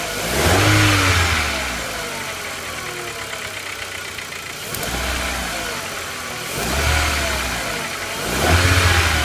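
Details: 1999.5 VW Jetta MK4 2.0 four-cylinder petrol engine blipped from idle: a rough, uneven beat from a sudden misfire scanned as cylinder 4. The owner is unsure whether it is the spark plug, plug wire or coil.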